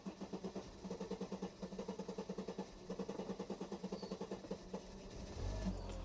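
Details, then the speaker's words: W124 Mercedes 300CE after a slow start: it settles into a steady, smooth, pulsing idle. It revs smoothly when opened slowly but misfires with more throttle, worse when hot. Owner suspects a fuel issue, unconfirmed. "okay starts up and then if I Revit slowly it's fine very smooth"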